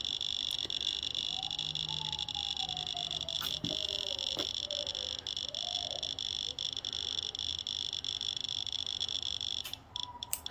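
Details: 1968 X-ray machine tested from 15 m on a new extended trigger cable, 10-second exposure: scattered Geiger counter chirps and clicks over a steady high whine throughout; counter responding, timer working, high alarm not triggered.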